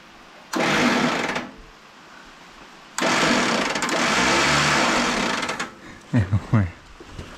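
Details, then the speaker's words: Late-1940s Allis Chalmers WC tractor, not run for 20+ years, starter wired by touching two wires together: fast high whirring bursts with no cranking beat, starter spinning freely without engaging; sparks seen up top. "making Sparks up top I think it's just on that junk H the starter isn't engaging on it's just"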